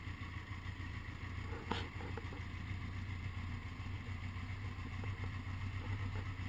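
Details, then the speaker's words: 1980 Honda GL1100 flat-four after a rebuild, slightly cold at 54 degrees with carbs synchronised; steady, even low burble with no misses or knocks, a smooth normal cold idle. "slightly cold start. 54 degrees after a rebuild."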